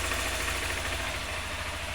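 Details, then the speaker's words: 2020 Honda Fan 160 motorcycle at idle after repair: camshaft had heavy play and was reassembled, dirty oil changed; even, steady idle with no top-end knocking or ticking, the earlier engine noise is gone. "aí galera nada de barulho troquei o óleo tava muito feio aí a gente trocou o óleo de novo"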